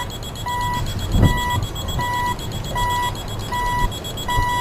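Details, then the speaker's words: Wheel loader with single-sensor PreView radar: evenly spaced short high beeps about 1.4 per second over low machine noise, pulse rate rising as a person walks closer to the sensor into the blind spot. "So as I walk back into closer to the sensor, the driver will see the LEDs change. You'll hear the pulse rate of the display changing as I get closer, indicating that something is get"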